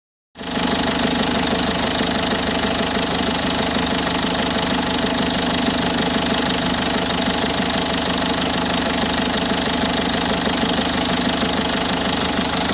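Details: 1.6 HDi diesel at idle with a hard metallic rattle, about three beats a second, throughout; engine knock, cause not yet identified.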